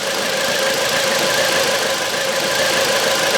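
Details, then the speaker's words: 2009 Volvo V70 (phase 2), codes P0303, P2008, P0325: uneven idle with stumble and ticking; cylinder 3 still misfires after swapping coils, coil and new plug ruled out, oil in cylinder suspected; misfire at idle. "Ja, nu har jag skiftat på de här två tändskolarna här och det är fortfarande trean som det märks inte att vi drar ur den där."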